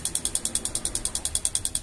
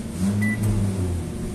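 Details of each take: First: LG microwave control board making a fast, even tictic of about ten clicks a second when the door-switch pins are disconnected (like opening the door). The relay is chattering on low supply voltage; a swollen capacitor on the board is seen as the likely cause. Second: LG microwave oven after its control board repair: the interior light no longer flickers with the door open, and on an 11-second test it runs with a steady, even low hum without shutting off, now working normally.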